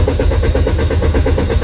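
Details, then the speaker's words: Car cranks with rapid, even starter churning, about eight beats a second, but never fires or starts. Throttle valve already replaced and spark plugs, ignition coils and oil lines checked, yet the fault remains. "try again did you see it this car won't start no matter what do you know why"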